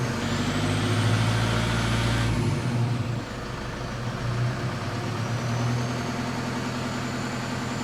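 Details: 2007 Toyota Fortuner 3.0 D4D 1KD-FTV diesel under acceleration: hard, fast rattle from about 1400 rpm upward, riding over the engine note; brand-new injectors fitted, so not an injector problem; knock of unknown origin.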